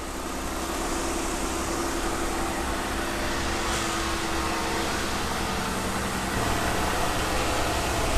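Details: 2015 Jeep Wrangler just after an oil change with Havoline 5W-30 and a Mopar filter: steady, even idle with a smooth low rumble, no knocks, ticks or misses; healthy engine, no leaks.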